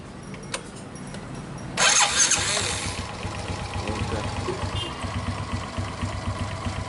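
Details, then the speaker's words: Suzuki Smash motorcycle with a new starter motor fitted, replacing a worn one that cranked heavily when cold and drained the battery: a quick, crisp whirr, then the engine catches and settles to a light, steady idle; normal starter cranking. "Ini dinamo starter yang baru kita coba ini Mas Bro. Oke, coba starter."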